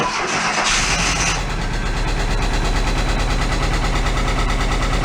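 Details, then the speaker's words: 1968 VW Double Cab cold start after years stored in a tent: it cranks, catches and settles to idle with a light, fast ticking on top. The hydraulic lifters are not pumping up, a common issue on these. "so we're gonna go fire it up it's gonna it's a little tikki you said that's a common yeah issue"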